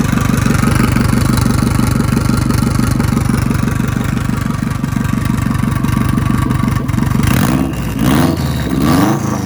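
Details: JDM EJ20 turbocharged WRX kit car swap engine, oil to be flushed several times: steady, even firing at fast idle with no misses, then clean throttle blips, no smoke now, running well.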